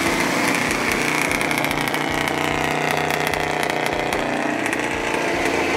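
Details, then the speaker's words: Old Ford truck being revived, first running once the fuel pump started working; busy, uneven running with ragged irregular firing, no rattles or knocks; timing likely needs adjusting. "off working sounds like we need to play with the timing a little bit"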